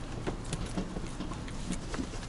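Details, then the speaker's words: Ford Focus ST rear suspension after hitting a large pothole, car rear bounced by hand from the rear door: dull metallic clunks about four per second; owner suspects the sway bar. "up and down you can get a clanging maybe you can hear the clang"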